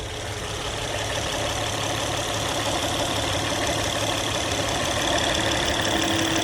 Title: No more noise after replacing hydraulic tensioner